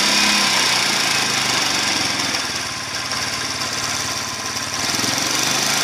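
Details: Yamaha Crypton 110 motorcycle at 9,269 km idling with a fast, light click-click ticking about three or four per second. The noise returned two days after a timing chain replacement and hard acceleration, and is worse when warm. The timing gear appears to wobble as if off-center, and the noise keeps getting louder.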